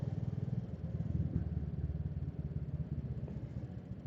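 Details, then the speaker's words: Karisma single-cylinder motorcycle while riding: fast, even pulsing with a dry, clattery rattle on top, likely from the valve train or timing area; the owner suspects no oil change since the restoration is making it rough and noisy. "Tuh, kalau kalian dengerin ini suara mesinnya berisik, cuy."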